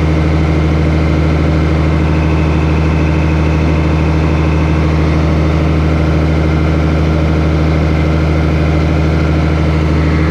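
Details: 8300T diesel after an engine rebuild, at final assembly before a test drive: deep, steady drone with a firm low hum and no knocking or rattles at a little throttle; normal running.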